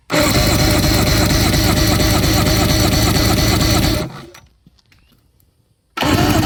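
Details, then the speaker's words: 1997 Evinrude 150HP two-stroke V6 outboard, sat 20+ years, fogged, battery cranking during per-cylinder compression test: steady even cranking about four beats a second, pause, no catching or grinding; normal cranking. "So we're gonna swap to the next one and fire it up or crank it over and see what we get on the remainders. Hopefully they're all pretty close to each other."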